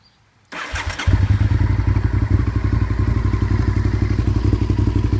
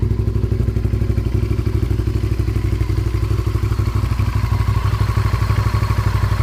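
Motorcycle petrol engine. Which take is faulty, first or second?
second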